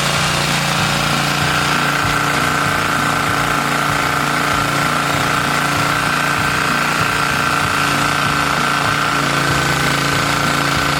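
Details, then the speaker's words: 1970 Hahn rototiller, Briggs engine with points and auto-choke carburetor, mixture screw set 1.5 turns out: steady even single-cylinder chug with a light high whine, holding constant speed and running cleanly. "so one and a half was a good starting point and ran fine there"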